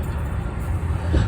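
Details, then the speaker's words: 2016 BMW 328i (F30) heard from underneath. A broken parking brake cable clip over the driveshaft rubs as the shaft spins, giving a low rumbling scrape and clatter that caused static-like noise in the cabin. "come to find out the clip is broken and as you can hear that that clatter as the drive shaft is spinning makes a lot of scraping noise"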